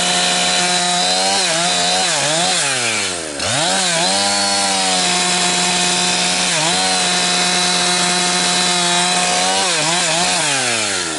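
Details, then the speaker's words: Husqvarna 362XP Special chainsaw cutting firewood with a wrong ignition coil fitted by a previous owner: under load it screams but pitch dips and surges, "four-stroking" as the coil rev-limits itself, never holding top revs, costing chain speed. "it keeps uh making like it's four stroking because the ignition coil is like I say it's limiting itself out but when it's uh trying to limit it it's frustrated cuz you don't have the chain speed that you need."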